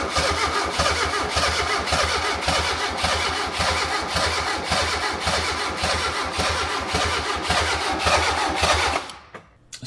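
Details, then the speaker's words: Fiat Punto GT Turbo after restoration with nearly all new parts: steady cranking under two beats a second with odd weak firings that never catch, as if firing on one or two cylinders; the original, non-new injectors were at fault, two not firing. "It was like it was firing on one or two only, but it just wouldn't catch."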